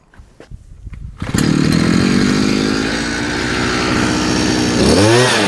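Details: Chinese 43 cc two-stroke brush cutter after repair (it had started but wouldn't rev and stalled, air filter housing in poor state, seals and gaskets replaced): fires after a few pulls, settles into a steady high buzz and revs cleanly, running healthy.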